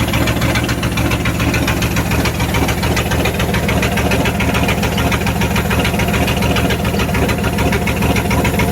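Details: 1994 Dodge Ram 1500 318 (5.2L) V8 after rodent wiring and fuel pump sending unit repairs, catalytic converter missing: deep loud open-pipe idle, slightly uneven lope, no knocking; runs, bad wires or clogged injectors suspected.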